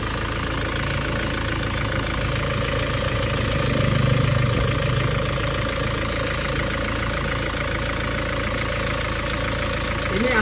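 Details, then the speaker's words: Isuzu Panther diesel, engine rebuilt twice in a year, after repair: smoking cured, and a solenoid losing current from broken engine wiring (engine cut out when revved) was fixed; steady, smooth, even idle clatter; normal idle. "kalau mesinnya suanya sudah halus banget nah ini suara mesinnya seperti ini halus"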